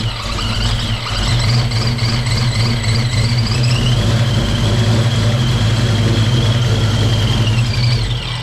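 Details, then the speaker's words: Project car V8 just after first start in 11 years: loud lumpy idle, uneven beat and whirring squeal on top, sounds like misfiring; rough running, cause unknown. "It's running like but it's running. Fired up for the first time in 11 years. And I'm really pumped. Yeah, something's not right."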